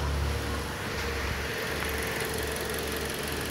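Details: 2010 Toyota Corolla petrol engine idling with a slightly uneven, lumpy low beat; one cylinder misfiring, no fault code stored.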